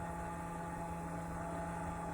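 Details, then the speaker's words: Internal cooling fan, uncovered, in a Race America 3800 chronometer timer, powered on: constant low hum with thin steady whine that keeps getting louder; worn fan bearings. "the bearings in that fan are pretty bad probably in a year or two we'll replace those but um it just keeps getting louder doesn't it pretty amazing"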